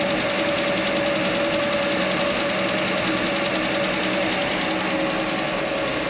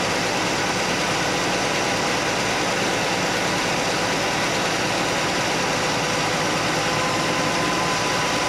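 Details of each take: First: Chevy Nova straight-six at steady idle after exhaust manifold donut replacement failed to fix the noise: quick light ticking about three per second; owner suspects a lifter tick, actually a loose rocker arm in the valve train. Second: Chevy Nova straight-six after repair: smooth, even idle with steady hum and no tapping; the single rocker arm was readjusted, backed off from 3/4 turn past quiet because that ran rough, now normal idle.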